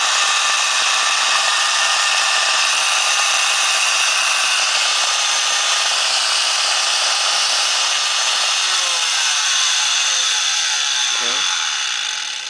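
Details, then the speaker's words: Used Craftsman router model 928180, 9.5 amp, 25,000 rpm no-load; steady, even high-pitched whine with no knocks or grinding, holding speed until switch-off; runs normally at no load, static visible inside the housing. "Okay, I'm gonna turn it on. It's gonna make some noise, and then you guys can see that it's turning."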